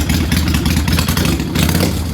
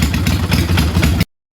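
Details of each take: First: Kawasaki Vulcan 800 motorcycle after raising idle speed screw: revs swell and sag slowly with lazy pickup off idle; throttle response boggy with idle set too high, to be lowered slightly. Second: Kawasaki Vulcan 800 V-twin idling after the idle speed was raised from a too-low setting: a deep, even thump that sounds better, though the higher setting makes throttle response boggy.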